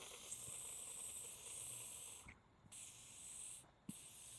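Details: Carburetor on a Husqvarna mower, float needle reinstalled during cleaning: a clean steady hiss of air passes through in short puffs with no sputter or blockage, passage clear.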